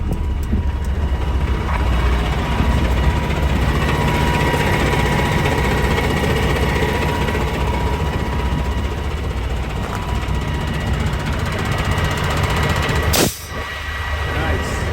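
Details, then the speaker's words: 2021 Kenworth T680, Paccar MX13, after replacing a carbon-plugged air dryer and a holed discharge line: a steady engine and compressor drone, then a sharp hiss as the dryer purges at cut-out; repair successful. "We should be getting to about 120, 130. I should hear the air purge from the dryer."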